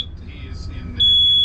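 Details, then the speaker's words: Hewescraft 25 Alaskan boat with twin Honda 200 V6 outboards, at the helm while setting up the digital throttle: a shrill steady high-pitched AIS proximity alarm sounds over quiet engine hum, warning of a nearby vessel. "That's annoying. And this got AIS too."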